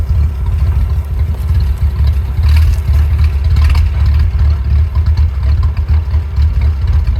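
Low, lumpy idle with an uneven, stumbling beat and no smooth rhythm; this old four-cylinder is idling rough, cause unclear.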